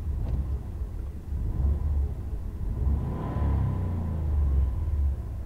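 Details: 2001/2002 Subaru Legacy Blitzen twin-turbo EJ20 sedan, 5-speed manual, 4WD, 98,000 km, aftermarket exhaust, timing belt recently changed: smooth low rumble climbs cleanly on a throttle blip and settles back, no knocks or rattles; normal engine rev.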